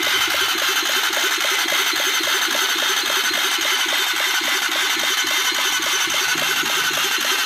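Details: Honda CBR150 engine after full rebuild: even idle with crisp regular ticking pulses, roughly two per second, over a steady hum; rebuilt engine idling cleanly.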